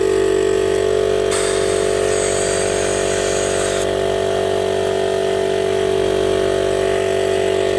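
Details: DIY 12V compressor on a recycled 40 L tank, big permanent-magnet motor drawing about 30 A, rated 72 L/min, pumping toward 100 psi. Steady hum with quick even pulses about four a second, no knocks; normal running.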